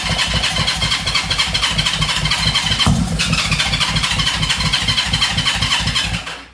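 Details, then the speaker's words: 1970 Honda CL350 unregistered for 42 years: steady chuffing cranking at about two beats a second with a sharp starter whirr, but it never runs; owner suspects ignition timing is slightly out, and both sides were found slightly off. "because it sounded like I wanted to start but it kind of sounds like it was slightly out of time"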